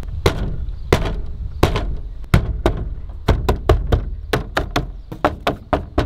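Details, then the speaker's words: Maxxfan Deluxe 7000K remote roof vent fan, just installed: with the lid closed, every bump while driving rattles. Light taps give sharp plastic clacks with buzzy tails, worst at the front; the source of the loose lid vibration is not found. "even if I hit very lightly a lot of hard hit you can still hear how bad the plastic vibrates and barely hitting it"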